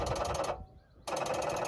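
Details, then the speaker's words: Wood-Mizer LT40 Super hydraulic sawmill, 10 hours, key on, battery fine at 14 volts; fast buzzing relay chatter, about a dozen clicks a second, stopping and restarting; hydraulics dead from poor safety-switch contact. "nothing sounds like the battery is dead but the battery is not dead"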